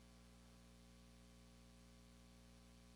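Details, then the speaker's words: Guitar valve amp that made a wind-like noise, after replacing the suspected phase splitter tube: only a faint steady low hum under soft hiss, no rushing wind noise; quiet, clean idle. "All right, I'm not really hearing any noise"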